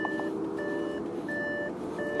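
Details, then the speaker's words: Salvage accident-damaged Audi RS7, delivered completely dead, battery just reconnected: steady repeating two-tone chime pattern with relay clicking underneath as dash warnings sound after power restored; later cranks but won't start. "I can hear everything going haywire still turn off ignition"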